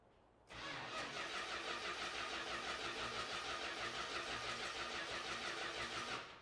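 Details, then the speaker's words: Dodge Hemi Daytona with automatic transmission on its first start attempt. Timing seems close, but there may be no spark through the coil. Steady starter cranking about three turns a second for several seconds; the engine never catches and won't fire. "Not getting anything now."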